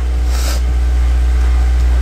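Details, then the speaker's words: 2015 Subaru WRX on test drive after removing coilovers and refitting stock suspension, front struts previously suspected blown; steady low road rumble with no knocks or clunks over bumps: quiet suspension. "suspect results on got the stock ones back on no clunking car sounds good"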